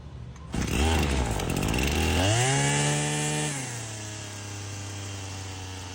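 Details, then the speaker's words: Husqvarna 525L trimmer: engine races to a high idle, hangs, then stumbles and falls off; air leak behind the carburetor at a wrong gasket, to be replaced with a used one. "all right how it was high idling and then it stumbled until it fell off high falls off all right I can see it from right here that behind that carburetor that gasket right there"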